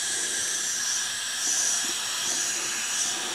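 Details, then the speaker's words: Craftsman self-propelled mower, 6.5 hp Briggs & Stratton, leak-down test at 50–60 psi holding only about 30: steady high airy hiss, no engine beat, air escaping past the head gasket; exhaust valve also leaking, rings only slightly. Head gasket leak, causing low compression. "definitely a leak coming from the head gasket"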